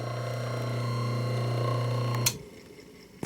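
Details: 1920s Champion Blower & Forge 50-E bench drill press, 110 V Westinghouse 1/4 HP brushed motor: smooth steady low hum with faint brush hiss, no knocks or grinding, then clean switch-off; old motor running normally.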